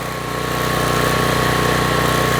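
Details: Troy-Bilt pressure washer engine brought in with run issues, test run spraying with water on: even, steady buzz that firms up as the pump takes load, no surging or stumbling; running properly.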